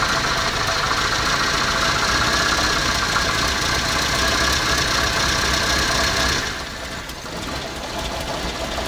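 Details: Truck after radiator replacement and wiring fixes, first start: uneven lopey idle at about four pulses a second with a stumble; owner says the cam always idles like this but suspects a missing cylinder.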